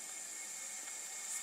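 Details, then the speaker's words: Opel/Chevrolet Corsa with overheating and power loss, cylinder leak-down test with compressed air: steady high hiss of escaping air, cylinder won't hold pressure. "mire y escuchen acá mire escuchen la fuga que tiene"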